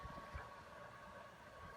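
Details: PS4 that was loud because its fans were clogged with dust, after cleaning, under game load: soft steady airflow hush with a faint constant tone, no rattle or grinding; the fan runs quietly and normally.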